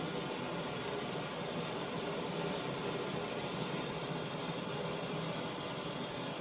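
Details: 1917 Blackstone 9 hp hot-bulb vaporizing oil engine run on household heating oil, before a hand start: a steady, even roaring hiss with no engine beats yet as a modern gas blowlamp heats the bulb vaporizer. Normal pre-start heating.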